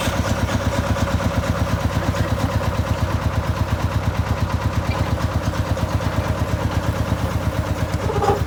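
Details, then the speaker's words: Bobcat 741 skid steer diesel, fuel system converted from mechanical to electric fuel pump, battery replaced, started cold in warm southern weather: catches and settles into an even steady chug about two beats a second, no misses; normal cold start. "So it does start up good. That is already a good thing."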